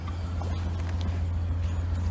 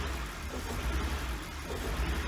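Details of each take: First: 1999 BMW 328i with Borla exhaust, recorded at the rear after fuel pump, battery and intake hose replacement and MAP sensor cleaning; deep even burble at a steady 800 to 900 rpm idle with no knocks or misses, a normal idle. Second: 1999 BMW 328i just after a new fuel pump, battery and air intake hose: engine swells and sags about once a second under light throttle and won't settle to idle. The owner suspects a missing cylinder or leftover bad fuel.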